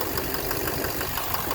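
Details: 2009 Chevrolet Silverado 3500 Duramax LMM diesel dually, 59,900 miles, idling; knock heard from under the oil pan, a quick steady knock over diesel clatter, seeming to come from the bottom end. Intermittent since 57,500 miles, oil analysis shows no abnormal wear metals, cause unknown.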